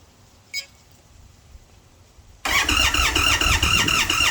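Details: Indian Sport Chief motorcycle: quiet at first, then steady cranking at about four beats a second that never catches; a hard start with no firing.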